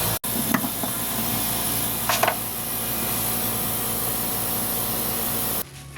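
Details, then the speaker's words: Suzuki DF51V turbo kei minivan, leak-down test on cylinder 1 at top dead center: a steady hiss of air escaping from the intake until pressure is cut; intake valves not sealing. "Okay, I already hear air escaping from the intake. So that must mean the intake valves are not sealing properly."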